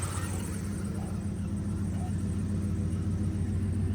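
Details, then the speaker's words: 1997 Dodge Ram 1500 SLT Laramie that previously wouldn't start and sputtered, now running after new spark plugs, plug wires, distributor cap and rotor: low, steady, even idle with no sputter or misses; some squeaking, owner suspects a pulley or water pump; normal idle. "So, yeah, it didn't start before and it was sputtering. Now, it sounds good."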